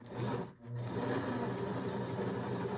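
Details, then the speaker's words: Singer sewing machine after cleaning and oiling: after a brief pause it hums evenly with no clicking or catching; earlier clicking gone after removing dirt and debris, normal running. "was a clicking noise earlier and I don't hear it anymore. See how simple something like that can be when you just take out that dirt and debris?"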